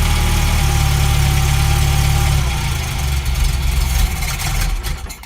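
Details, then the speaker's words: 1971 Fiat 850 Sport Coupe small four-cylinder, first run after ignition fixes (new coil cable, points gap set), choke off, near operating temperature: steady even idle, smooth low beat, no knocks or misses; running well. "So not sure how well you can hear me over the engine, but as you can see, she is ticking along just nicely."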